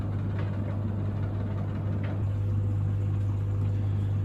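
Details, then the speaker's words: Samsung heat pump tumble dryer near the end of its cycle, now on the fan phase while still tumbling: a constant low hum with soft thuds of the load and no grinding or squeal; normal running. "So here it is now, it's nearly finished. It's still tumbling, but it's gone onto the fan cycle."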